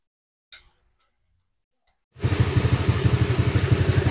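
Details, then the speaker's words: Honda Click 150i scooter, 62mm loaded engine returned to stock, valve clearance 0.10 intake/0.20 exhaust, donated throttle body fitted; first start settles to a quiet regular putter about four pulses a second: normal idle. "Mapapansin nyo, tahimik na yung makina niya."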